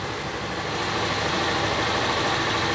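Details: Honda CG/Titan 160 motorcycle after restoring the TPS throttle position sensor that caused misfiring and no rev response: single-cylinder engine now idles steadily, no misfire, stumble or hunting.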